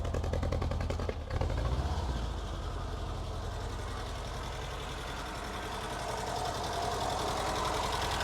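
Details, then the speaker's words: Ford Fiesta XR2i barn find off the road 14 years, just fired after fuel pump failure, cold: idle lumpy and uneven with dropped firing pulses; engine missing, plenty of compression, cause not determined. "yay up she goes that go quiet in a minute to be fair the bloke did say it run before the fuel pump packed up it's missing isn't it"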